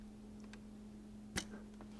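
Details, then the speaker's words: Mercedes M272/M273 secondary air injection system inspected around 100K: on the V6 a check valve holding steady vacuum near 25 inHg gives a single crisp snap when the tester is removed, meaning it works properly. "now listen as I remove this one you hear this snap okay that one's working okay"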